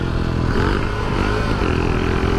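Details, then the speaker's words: Shineray 49cc motorcycle, riding, after new wheel hub bushings: a steady run with a low, rough clatter when the clutch is engaged. The clutch is suspected to be bad; the cause is unclear. "Tô fazendo uma barulho ainda quando o mete é a embreagem ó ó um acordo tá andando eu não sei se vai dar para você ouvir o barulho que eu estou vendo"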